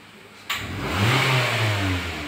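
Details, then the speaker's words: 2021 Mitsubishi Xpander after Blackcore tuning/carbon clean (before: sluggish, flat, pinging, stalling), idling at 750 rpm, later smoother at 700; quick clean throttle blip rising and falling without hesitation, nimble response, healthy throttle response. "Hai sobat, setelah dituning, digember dan kita hidupkan ulang, dia idling di 750. Dan saat kita injek gas, gesit, jadi responnya beda,"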